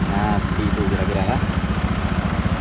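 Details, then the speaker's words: Carbureted Honda Beat scooter at idle after the CVT cover is refitted: steady, even low putter with no rough noise from the CVT case, which had come from the teeth inside it; noise now gone. "Oke teman-teman coba perhatikan suaranya udah hilang ya"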